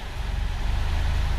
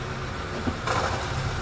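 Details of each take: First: 2004/05 Honda Fit CVT at 196,000 km, after flywheel seal replacement: even, low idle rumble shifting into D and S with no rattle, knock or clunk; previously it shook and made noise even in neutral; normal CVT engagement after repair. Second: Honda Fit CVT automatic, 196,816 km, heard from underneath: steady idle with sharp rattling bursts in the gearbox when shifted into Drive; flywheel to be replaced, also leaking oil at the flywheel.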